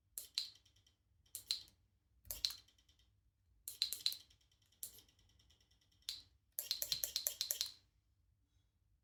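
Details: New Shimano GRX RD-RX825 12-speed Di2 rear derailleur, fresh out of box, bench-tested on table before install: short bursts of fine rapid ticking after most shifts; Shimano confirmed this is stock behaviour, normal electronic derailleur motor noise.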